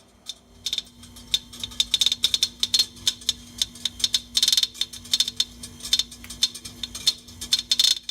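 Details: 6-year-old LG refrigerator compressor, totally dead, giving sharp uneven clicks a few times a second over a faint steady hum; it was replaced under warranty.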